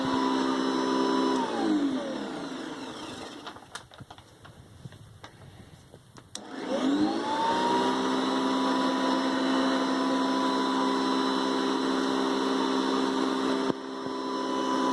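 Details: Hoover Convertible Elite (4.3 amp) upright vacuum winds down, then Hoover Decade 800 Navy Blue Edition spins up with a rising whine to a smooth, steady pitch; normal healthy running of both.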